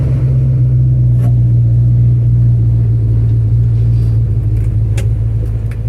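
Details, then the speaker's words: 1974 Chevrolet custom deluxe 3/4-ton pickup, sat for years, running on its own after first start: low, even rumble with a smooth steady beat, no misfires or knocking; engine runs and sounds great, though the transmission gives no reverse. "I wanted to prove that the engine ran, and boy, it runs great and it sounds great."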